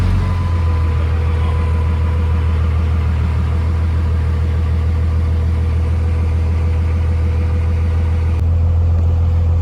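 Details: 2002 Dodge Ram 2nd-gen Cummins diesel idling smoothly after the starter solenoid contacts were replaced with a rebuild kit; deep, even idle with a steady low thrum and no solenoid clicking. Normal idle.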